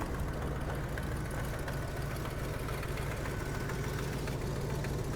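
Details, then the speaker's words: 1973 Buick Century at idle during a 1,500-mile road trip: a steady low rumble with a quick, uneven ticking puff. The engine sounds good but has an exhaust leak somewhere; the owner hopes it is just a donut gasket. "And the engine does sound good. It's just that there's a leak in the exhaust somewhere. I hope it's just a donut gasket, something easy to replace."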